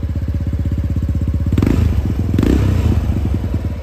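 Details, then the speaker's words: Yamaha Mio scooter bored up to 58 mm for daily use, standard main jet, pilot jet raised, aftermarket Bipro exhaust; even, deep bassy pulses quicken smoothly on throttle blips then settle, normal healthy revving. "Ya untuk knalpot nih pakai Bipro. Ini suaranya adem banget nih, ngebas banget suaranya. Digas tuh cuman rung rung."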